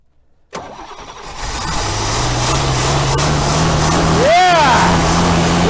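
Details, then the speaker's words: 1964 Buick Riviera V8 after sitting about 23 years, first start after starter swap, fed gas by hand as it keeps running out of fuel: brief cranking, then catches into a strong steady rumble; normal start. "I'm going to keep feeding it gas and just let it run CU it keeps running out of gas get this thing nice and warm"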